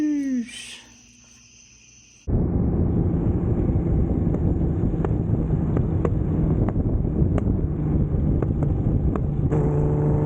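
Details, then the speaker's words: Nissan 350Z drift car repaired after Pocono crash (control arms, steering rack, intercooler, tubing, radiator support), first test drive revving: strong even roar under throttle, no knocks or misfires; runs well. "First test drive went well. Car rips."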